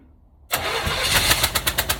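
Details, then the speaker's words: 1965 Cadillac hearse, seized after sitting for years, first fire-up at dusk with a wire run straight from distributor to battery; cranks, catches, then uneven lumpy chuffs about five per second; rough running after start. "i can't say that's the best fire up i've had but it started well guys i know that's not exactly what we hoped for and it doesn't sound great but at least it fired up tonight"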